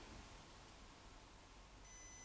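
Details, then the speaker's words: Panda Hobby Sport Tetra K1 1/18 crawler, stock, on speed setting 3 (highest): motor whines at low throttle and needs more pull before moving; no real slow crawl, blamed on ESC plus motor and gearing. "you hear the whining noise and i have to pull pull pull and then it goes and no real slow crawl possible that's not only a matter of the esc but also of the motor and the gearing"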